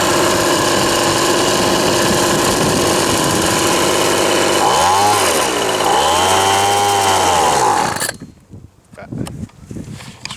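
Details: Old Ryobi RSV 3100e two-stroke leaf blower, running after three spark plug changes, carb adjustment and four carb membrane changes. Buzzes unevenly, surges and cuts out: rough running and stalling; owner unsure whether flooded or mis-adjusted.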